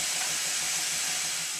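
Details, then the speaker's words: "Minnie"-type model traction engine test-run on compressed air: steady hard hiss throughout as air leaks constantly from somewhere near the cylinder; regulator also does not close fully. "there are two things wrong here that are immediately apparent one is the regulator does not close fully and the other is the constant air leak coming from somewhere near the cylinder"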